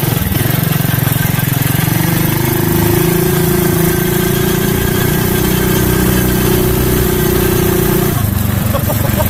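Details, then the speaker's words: Craftsman 5 hp Briggs & Stratton minibike with CVT belt drive, at half throttle on a test ride: it climbs to a steady rising buzz and holds without surging; the belt drive pulls cleanly. "Yeah. I wasn't even full throttle there. That was only half throttle."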